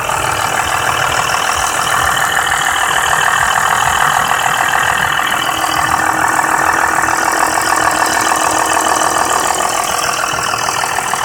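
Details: BMW F10 523i idling with steady busy metallic rattle about three beats per second from VANOS area, owner suspects it began after VANOS bolts replacement; dealer repair undisclosed — engine rattle at idle.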